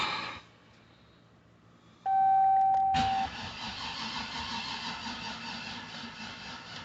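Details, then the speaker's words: Junkyard 6.0 LS engine just installed, first start attempt: key-on chime, then a single weak click and faint electrical buzz with no cranking, caused by a loose battery positive terminal left untightened. "Oh, that's what it sounds like when my battery dies. Oh boy. Yeah, there's a big one. We can tighten that up. It seems I was distracted earlier. Forgot to tighten the post on my positive terminal."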